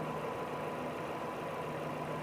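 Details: Chevrolet Cruze idling cold after replacing an ignition coil found cracked, which had caused the cylinder 3 misfire: even, steady petrol idle with a smooth hum and no stumbles or misses.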